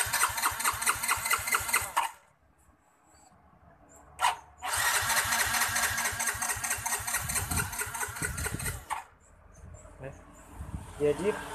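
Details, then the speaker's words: Yamaha Mio J fuel-injected scooter cranking: ragged pulses around two per second and a brief stumble toward firing, then it drops back and won't start. Cause unconfirmed. "Hampir aja mau ngomong dia tidak mau hidup punya gitu ya hampir mau hidup tapi tidak jadi mundur hidup mesinnya seperti itu ya Sob"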